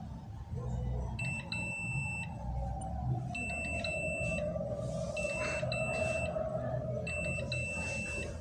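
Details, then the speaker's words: NIKO LPG bathroom water heater, magnetic flow sensor tested with multimeter in continuity mode and speaker magnet: high clear beeps in short bursts about every two seconds over background music; flow switch good. "jika ini masih bagus sekitar dekatkan dengan magnet ia akan merespon"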